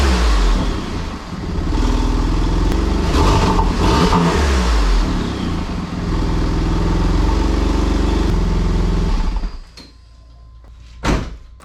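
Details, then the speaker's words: Porsche 996 Turbo after boost and vacuum leak repairs: the flat-six catches and revs cleanly with a steady, even beat, no misfires, no hiss and no air sucking from the top of the engine, then shuts off. Running well. "pretty happy boys it's back running it sounds like it's running really really well no misfires no weird things"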